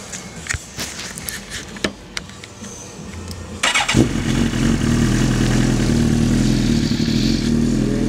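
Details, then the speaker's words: 2007 Suzuki GSX-R1000 with 3,236 miles, a Level One Racing full exhaust and a 4-into-1 header: quiet ticking, then the engine catches at about four seconds and settles into a steady, even, throaty idle. A healthy startup, recorded with low-quality audio. "Starts right up. I'm not sure how the sound is going to be in this, but I'm going to rev it up a few times."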